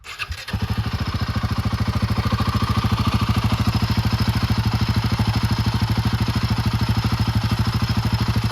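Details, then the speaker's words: Royal Enfield Himalayan 450 single-cylinder after engine repair for tappet noise (problem attributed to high rpm): starts and settles to steady even idle with no valve-gear ticking; normal sound for this bike. "ये जो sound हैय काफी सारे यल ए Himalayan 450 का sound ऐसा ही है"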